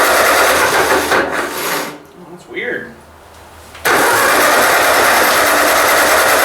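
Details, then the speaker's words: Ford 2N tractor cranks steadily but never fires, pause, then more cranking. The plug shows spark and fuel is dripping from the carburetor; owner suspects it is flooded, unconfirmed. "checked the cylinder she's got spark but i'm not sure why it's not uh kicking over for me here got gas dripping out of the car but it might be flooded maybe i'll just crank it a little more here"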